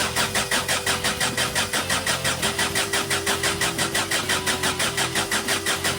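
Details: 2012 Peugeot Bipper diesel after timing chain kit replacement (guide had almost broken off, was noisy): even idle, steady beat of about three pulses a second, no front rattle; normal idle.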